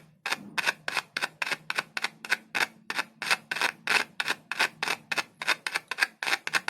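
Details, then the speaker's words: Audio speaker from a good company with a good magnet, tested without multimeter or amplifier by tapping a single cell on its leads: sharp, crisp clicks about three a second, clean response, so the voice coil and cone are good and it will play on an amplifier. "इसकी coil ठीक है, और इसकी screen काम कर रही है। अगर आप इसे एम्पलीफायर से जोड़ेंगे तो यह बजने लगेगा।"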